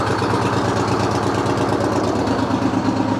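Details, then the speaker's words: 1970 Peterbilt 341 with a blown-up Detroit 6V71 two-stroke diesel. Rough, lumpy idle with uneven beats near three a second and a ragged pulse, misfiring; the exhaust smells like straight fuel, with moisture and oil in the breather. "The exhaust just smells like straight fuel. So, already you know there's a problem."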